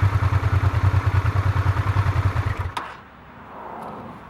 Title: Honda RD10 Transalp strange engine sound